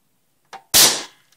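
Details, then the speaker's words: Old 1980s pellet gun, just cleaned and re-lubricated inside, firing: a faint click, then one sharp, loud crack that dies away within half a second. A clean, healthy shot. "I'm going to go ahead and hit the trigger. Show you what it sounds like when it's firing."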